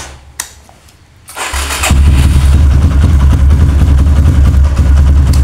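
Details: Kawasaki KLX with a new battery, fully charged then charger removed, in a repeated-start test: brisk crank, the single catches within a second into a steady low thumping idle; the battery managed 13 starts and is judged normal so far.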